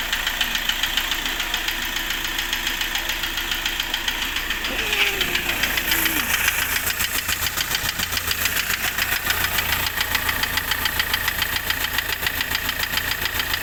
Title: i20 engine knocking